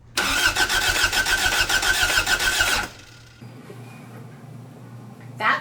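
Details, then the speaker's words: 1986 Toyota MR2 AW11 salvage parts car with a new fuel pump and tank: rapid, even cranking pulses for nearly three seconds through a jumper wire to the starter relay after the starter quit; it never catches. "so I ran a jumper wire from the um Junction under the dash up and over the car and into the engine compartment um and then into the relay"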